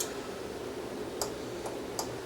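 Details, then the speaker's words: Sony STR-AV450 receiver won't power on and shows only the standby light; a faint power relay ticks but won't hold. Cause is an open 1000µF 16V standby filter capacitor, and replacing it is expected to fix it. "The way this thing was acting, I could tell that it was a standby problem, because I could hear a faint relay trying to click in the background, but it wasn't doing anything."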